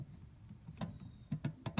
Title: Tensioner Pulley Making Noise